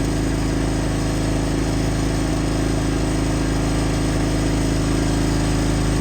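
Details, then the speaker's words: Brand-new Pulsar 4000 W gasoline inverter generator, recoil start, first run after a one-pull start on choke then run: steady, even, super quiet low hum at constant speed with no surging, misses or knocks. Normal running. "Holy moly, I don't know if you can see how surprised I am. Super quiet."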